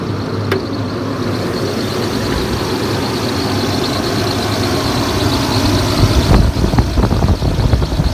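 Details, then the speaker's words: Low, smooth, even V8 idle on a 2001 Toyota Tundra Limited with 241,787 miles just after start-up, no knocks or misses, only some handling clatter near the end; healthy. "Holy cow, thing runs good. I mean, fires right up and runs like a champ."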